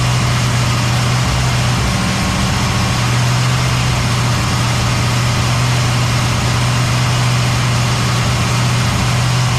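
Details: Cadillac ("Lil Debby") restarted after fuel-line hose clamps were tightened during diagnosis of a brand-new but failing fuel pump; deep, constant hum at steady idle for ten seconds, no surging or stumbling. Normal idle.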